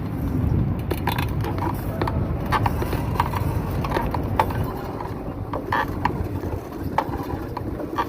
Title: constant clicking sound while pedaling.